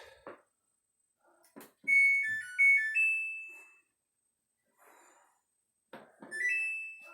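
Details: Electric Samsung dryer in a newly bought house, about ten dry cycles in: loud shrill screeching bursts; initially blamed on the belt tensioner, but rear drum wheels needed replacing (idler pulley also changed).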